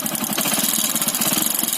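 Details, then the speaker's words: Bike engine at idle: fast, light, sharp metallic tapping over an even idle; piston has become loose in the block, to be replaced to stop the noise; piston slap. "Piston का आवाज़ आ रहा है। अब piston block में ढीली हो गई है, इसलिए वो आवाज़ कर रही है।"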